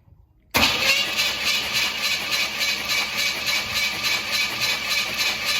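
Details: Starter cranks a 1969 Pontiac Bonneville V8, valve cover off, with the radiator cap open during a compression and coolant-leak check; a steady, even chug of about three beats a second with no coolant bubbles seen, normal healthy cranking.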